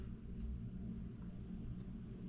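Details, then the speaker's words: Home air conditioner not cooling: the indoor blower fan runs with a low, steady whoosh and hum and no ticking, rubbing or surging. The fan runs normally, but the outside unit is not running and the set temperature is not reached. "continual you can hear the fan kick on the air conditioner runs well the fan part runs great"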